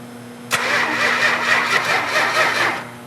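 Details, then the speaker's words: 440 V8 in a 1972 Dodge Charger, fuel pump on and fuel primed: the starter spins it evenly for about two seconds, but it never fires or catches; no spark. "Shut the fuel off. Crank it over. Yeah, we got no spark."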